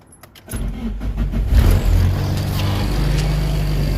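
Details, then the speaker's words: Nissan S14 after new exhaust gaskets and rewelded joints, leak fixed: engine fires into a smooth deep steady idle with no ticking or puffing, a little louder but dialed back; normal sealed exhaust note. "It sounds really good. I like how this sounds. It's a little dialed back. It's not so crazy loud, but it's also not like so bad."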